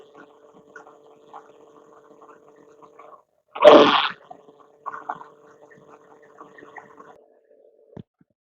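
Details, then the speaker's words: 2007 Mercedes-Benz ML320 (W164), earlier run low on fluid, microphone placed on the power steering pump: faint steady mid-pitched whine under a brief rustle; noise isolated to the pump, not the rack. "Based on that noise that we heard, I'm 99% sure that the problem is the steering pump."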